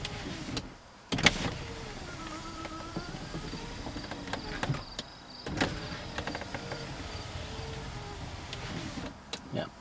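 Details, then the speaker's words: 1995 Cadillac Fleetwood power window lowering: motor whirs with sharp clicks scattered through the travel. Owner suspects a broken or sticking slider in the roller-slider assembly, unconfirmed. "this one here has a broken I believe has a broken slider or starting to break or I think it's just sticking because when you put the window down it makes a lot of click sound like that"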